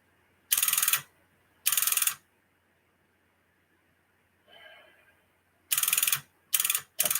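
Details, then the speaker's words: Tube linear amplifier (Sonar) after replacing two capacitors, tubes warmed over a minute: five bursts of rapid buzzing relay clicks each time it is keyed. The relay chatters as if trying to engage, and the amplifier is still not working. "all that it's still chattering now I gotta go on finding out why it's still"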